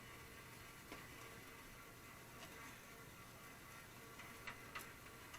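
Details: New Hottop coffee roaster on its first empty dry run in auto mode while preheating: quiet steady motor hum under faint light ticks, no rubbing or scraping; the drum turns freely.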